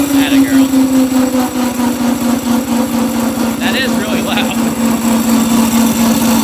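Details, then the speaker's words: Engine-powered drift trike, not fully warmed up: buzzy single-cylinder at steady speed with rapid rattly chatter over it; loud chain noise although chain is tight, owner suspects it needs graphite lubricant. "yeah I don't know why it's it's the spring so loud the chain is actually pretty tight if Polly could use some graphite lubricant which I do have"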